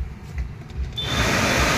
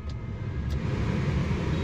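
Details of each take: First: WagonR K-series AC blower on fan speed 4, key on: loud steady rushing hum with a rough shake underneath as the fan spins fast; blower wheel out of alignment causes the vibration and noise. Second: Maruti WagonR K-series AC blower fan assembly after fixing its noise, running at full speed (setting 4): a steady, low whooshing hum with no rattle or vibration, smooth and silent; normal blower operation.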